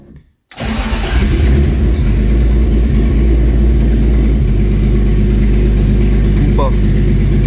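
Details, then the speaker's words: BMW E36 Turbo starting and settling into a steady idle after the flex pipe was repaired and the loose manifold dealt with, with a fast puffing tick over the low rumble; smoke seen at the turbo V-band joint, noise exits at the front of the car. "Mais effectivement, on voit de la fumée qui sort au niveau de la jonction du V-band et du turbo. Donc on est peut-être sur la fin, les amis."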